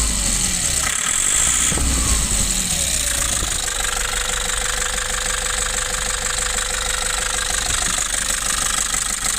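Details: Nissan Urvan Estate E25 diesel van with incorrect FB P7 injection timing: engine revs down and settles into a rough idle with a hard, steady knock throughout.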